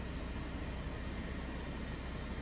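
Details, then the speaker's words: Vauxhall Insignia diesel idling with a loud rushing hiss and engine light on: severely blocked DPF raised back pressure and split the DPF pressure sensor pipe at the front of the engine, leaking exhaust; boost and DPF fault codes. "so with a little looking around I found this pipe down here to the split and that's where it's leaking from"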